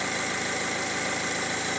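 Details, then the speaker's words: 2019-2020 Opel Insignia 1.6 B16DTH diesel, 136,000 km, hot restart after timing chain repair: even idle with steady light clatter, no chain rattle or knock; runs smooth. "звук машинки настолько приятный что телефон конечно же не передаёт полностью по звуку он искажает но очень приятно работает"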